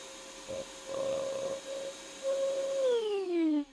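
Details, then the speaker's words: BougeRV 2000 W 12 V pure sine wave inverter at about 1100+ W, shop vac switched on: steady whine sags and spins down as power cuts; battery BMS overcurrent cut-out, not the inverter, no power reaching inverter afterwards. "and it kicked out and I'm pretty sure it didn't kick out because of the inverter it kicked out because of the battery BMS because there's no power going to the inverter now"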